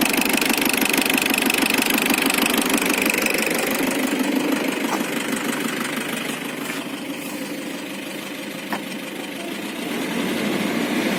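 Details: Isuzu Trooper diesel idling with a sharp, evenly spaced knock about three times a second; possibly valve or engine knock, unconfirmed. DTC 74 (throttle position sensor) is also present.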